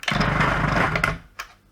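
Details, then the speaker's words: Faulty Kenwood Chef mixer after an attempted repair, unchanged fault: motor buzzes up hard for about a second, then the tone sags and dies out, starting then slowing to a stall. "same sort of thing so it kind of starts up for a second but then sort of dies"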